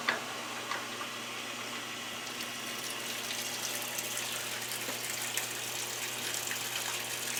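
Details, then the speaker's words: GE Cabrio WTW5550X washer, after repairing the control board by replacing a damaged capacitor with a 1000µF 10V one: a steady rushing splash of water fills the drum with no buzzing or stalling. Normal water fill. "i hear water that's a good sign so far so good guys"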